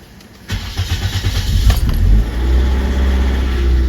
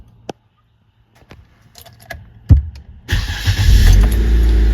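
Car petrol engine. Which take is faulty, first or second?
first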